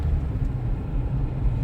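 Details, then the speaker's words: 2008 Toyota Corolla S, 164,000 miles, after replacing front struts and failed strut top mounts (loud metallic knocking from passenger front over bumps): only smooth low road rumble over uneven driveway, no clunks or knocks; front suspension now quiet. "it was a loud metallic knocking inside of this top M it's fixed and this is after the repairs so let's confirm the success of replacing front strats"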